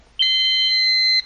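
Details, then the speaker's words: Silent Knight 5230 annunciator with backup DC battery not installed: a single steady high-pitched beep about a second long in a quiet room; trouble tone, backup battery missing. "you see it says trouble battery I forgot to put that in the DC battery you can hear it"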